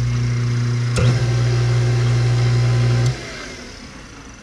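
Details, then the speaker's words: Hot tub pump motor, tub empty (no water), display showing PR (prime), jets on second speed: smooth, steady low electric hum with no grinding or squeal, cutting off after three seconds; motor works fine. "well I can hear the electric motor running that's second speed well that tells me everything works I can hear it down here"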